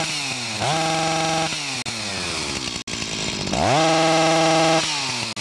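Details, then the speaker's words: Stihl MS 361 chainsaw, about a year old, warmed up: revs climb then sit flat at same ceiling, won't exceed about 5,000 rpm, even under load; coil has spark but its built-in rev limiter cuts in early. Fix: replace ignition module. "So, the coil does provide spark, but as I mentioned earlier, the rev limiter in the coil prevents it from revving where it should. Even when it's under load, it does the same thing."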